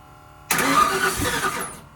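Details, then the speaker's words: First start of a newly installed engine, with initial timing set and jumper cables attached. A short burst of cranking catches for a second and dies. Owners say it has no gas in it and suspect timing issues. "Oh, she's gonna try. It ain't got no gas in it. It ain't got no gas in it."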